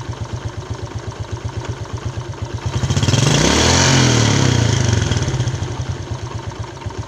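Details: Yamaha Jupiter Z Robot idling with a harsh, clattery beat about four per second, rising briefly with a throttle blip; rough engine noise, cause under analysis (one-way clutch swapped for a Vega ZR part).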